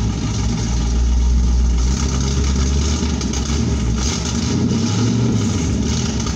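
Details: 1972 Pontiac Firebird Trans Am V8, muffler blown apart after engine loaded up with gas, still cold, no choke so throttle feathered: loud, raw, deep rumble with throttle blips; blown muffler.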